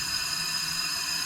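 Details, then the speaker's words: Datsun 720 King Cab 4x4 pickup, sitting about 20 years, leak-down test: steady, sharp hiss of air escaping through the carburetor; number 1 intake valve not closing, adjuster very loose, owner wonders if burnt or broken; leaking intake valve. "So, the number 1 intake valve is leaking when it should be closed. And that is a bummer."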